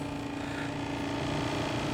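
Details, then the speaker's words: EMS.9 PLUS massage chair at switch-on: loud steady humming drone with a rough grinding buzz and vibration; controls only beep, nothing works, noise stops after a while; drive belt slipped off its pulley. "there's a loud noise. It is vibrating. Nothing works, but it beeps."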